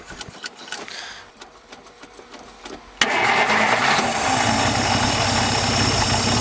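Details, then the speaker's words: 1950 Dodge first start in 40 years, hard to start: a few quiet clicks, then catches sharply and settles into even steady idle, all six cylinders firing; some blow-by and slight rattle noted. "that's it sounds good okay OOP all right well that was fun boy that was not easy to get that going everything was set up right and it just didn't want to start"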